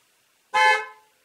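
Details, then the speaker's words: 2016 Ford F-150 EcoBoost, horn triggered through a Launch X431 scan tool active test in a closed garage: one short, clear quarter-second horn blast with a steady tone and clean cutoff; the horn works normally. "Well, I'm going to honk the horn. Okay, I'm going to hit honk."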